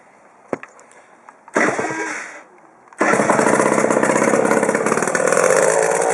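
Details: Peugeot Speedfight scooter with a carburetor leaking fuel and a broken speedometer: a few weak pops and a failed catch, then the two-stroke engine fires and runs buzzy and uneven; hard starting, cause not confirmed.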